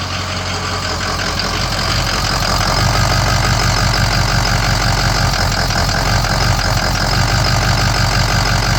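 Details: Ford 6.0 Powerstroke diesel at idle, no trouble codes: uneven loping knock about three beats a second that never smooths out; rough idle, cause unknown.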